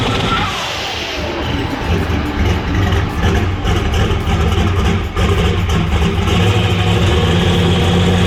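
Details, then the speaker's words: Warm Camaro race engine held on a 4,500 rpm rev limiter with timing pulled to build boost before reaching target; the exhaust crackles and pops hard and unevenly, which is normal and intended. "you can hear that thing popping really hard when we're pulling that timing out and um that's because it was still down in the booth so what is happening is it hit you know 4 500 rpm on the rev limiter but it hadn't gotten to the targeted boost"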